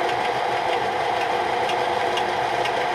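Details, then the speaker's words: Harbor Freight 4x36 belt sander running: steady motor whir with a light knock about twice a second in time with the belt's rotation; a low-precision belt knocking as it runs, though tracking works well. "It's not one of your higher precision belts. You can hear it, the knocking"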